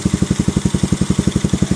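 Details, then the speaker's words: Keeway CR152 single, 2,000 km, stock carb with untouched jet and bullet pipe, before Nibbi 28mm install: fast even thumping about ten beats a second, idle set too high; suspected idle setting problem, backfires with diesel pops. "siguro nagka-problema sila sa sa minor nya kasi stock pa to lahat. So hindi pa nagalaw yung jet, tapos naka bullet pipe."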